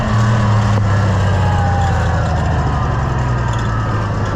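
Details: Oliver 1650 tractor after a governor repair and adjustment: a steady engine note that settles quickly and holds even speed without hunting. The repaired governor appears to be controlling it properly.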